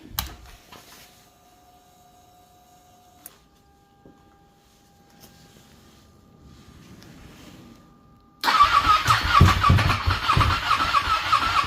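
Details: Ducati 959 Panigale race bike with a crank-no-start problem, battery a bit low: a few quiet seconds of priming, then it catches at once and settles into a steady, even idle; normal start.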